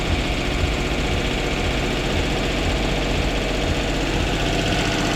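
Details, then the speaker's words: Duet car with stumbling problem, throttle being worked on: right after starting the engine holds a fast busy idle that won't drop, unaffected by adjustment; owner suspects an air leak somewhere. "Давайте попробуем запустим [музыка] капец сразу на запуске холостые"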